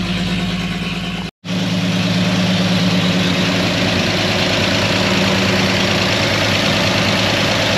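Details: Antique fire truck at even, steady idle, just started after a broken cylinder-head bolt was removed: smooth low drone, no ticking, knocking or missing beats. Warming up to purge air from the coolant, no leaks so far; running normally.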